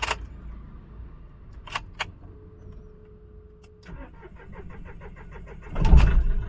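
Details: Mahindra Bolero Neo diesel with knocking, misfire, heavy vibration, check engine light: key click, pump hum, then long cranking about two seconds before it fires roughly; hard starting from incorrect rail pressure sensor.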